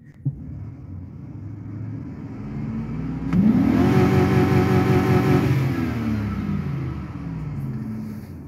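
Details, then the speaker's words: Healthy V8 idling quietly with the hood open, then revved quickly to a hard, steady hold at the rev limiter, about 5600 rpm, before dropping back smoothly. It runs well despite a stored P0300 multiple-cylinder misfire code. "I'm gonna hit the rev limiter on here"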